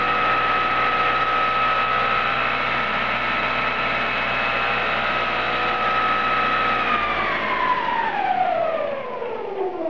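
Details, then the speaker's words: Homemade e-bike with modified alternator motor and jackshaft toothed-belt reduction spinning rear wheel around 24-29 mph: loud steady high whine with ringing overtones gliding down as it coasts; over-tight, rigid belt runs noisy, to be re-tensioned. "they're a bit too tight at the moment and this belt is really quite rigid which is not ideal as a result it runs kind of noisy"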